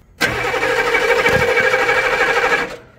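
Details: 1995 military HMMWV diesel with replaced glow plugs, cranked while checking fuel flow from the pump hose: steady, fast cranking that never fires; fuel still flows, so pump and filter are probably fine; crank, no start.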